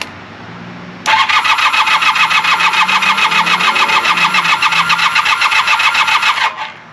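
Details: 1980 Honda CB400 T Hawk, non-runner, first start attempt after carb rebuild and oil change, choke on, fuel in carbs; even cranking about three and a half pulses a second for five seconds, never fires.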